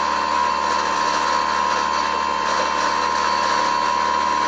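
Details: Brushless outrunner prop motor on Skywalker RC aircraft, running on its mount: steady high electric whine near one kilohertz with coarse buzz, low humming drone; out-of-balance motor vibration, to be balanced in situ.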